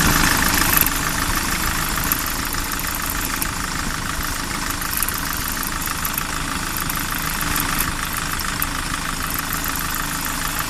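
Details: Kyron engine with a steady idle and an irregular light ticking knock riding over it, roughly three per second; extraneous engine noise at idle, source not pinned down, cause suspected but unconfirmed.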